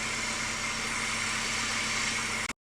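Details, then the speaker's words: 1999 Chevy Cavalier Z24 2.4 after replacing all four spark plugs: steady, even hiss-heavy idle with no stumble or shake; healthy idle, slight engine movement blamed on old motor mounts. "Well, it sounds good. It's not vibrating or anything, so it means I got all 4 of them in there."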